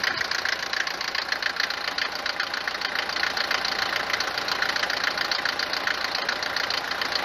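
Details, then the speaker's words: Mercedes 190 four-cylinder diesel at idle, knock worst when cold: hard, clattery knock of three or four sharp raps a second, far harsher than normal clatter; mechanic suspects worn cylinders, injectors or injection pump timing, not confirmed. "كون الصوت هذايا هو موجود في أغلبية سيارات المرسيدس، في أغلبية محركات الديزل المرسيدس، لكن مش بالطريقة هذه، بالقوة هذه أو بالدرجة بتاع الصوت العالية هذه."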